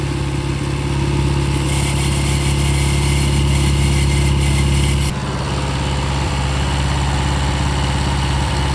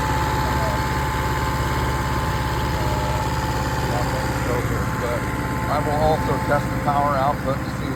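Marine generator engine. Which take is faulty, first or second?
second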